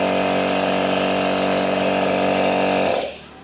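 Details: Used portable direct-drive air compressor being checked before purchase, air output felt at outlet: steady high-pitched motor drone with fast pumping rattle, winding down cleanly at shutoff; normal running.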